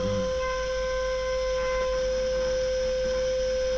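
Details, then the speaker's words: Small motor driving an N gauge engine shed roller shutter, tested at speed setting 100 while holding the nut: steady mid-pitched whine on one note with a faint buzz; still far too slow to open the door. "No, this is still too slow. I can't imagine how long this will take to open the door."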